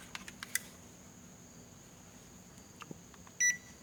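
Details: Panasonic inverter air conditioner indoor unit after cleaning, control circuit suspected: a few faint clicks, then one short high beep on power-up but no fan whoosh; indoor fan not starting.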